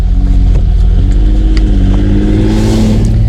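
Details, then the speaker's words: Austin-Healey 3000 (3 litre), former race car slightly detuned, pulling away past on a Cumbrian road: deep throaty exhaust rising smoothly in pitch, crisp with no misfire or rattle; healthy engine. "Paul used to race this car and has detuned it slightly, but it still sounds glorious, as you will hear from the exhaust note."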